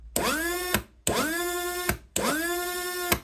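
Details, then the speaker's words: Rover gas turbine Rotax actuator motor, rebuilt, with brake screws backed off to stop brake sticking: three short whining runs, each ending in a clack and quick stop; odd noise from the backed-off brake. "Now, the reason it's making that funny noise is because I've had to back t"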